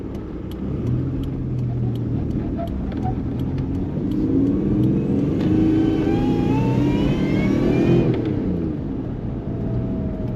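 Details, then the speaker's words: Supercharged 1998 Toyota 4Runner SR5 4x4 (Magnuson kit on 5VZ-FE engine), 5-speed manual, driving: thin whine rising with revs, dropping at the shift; normal supercharger whine. "First time driving this truck, and I can already hear that supercharger."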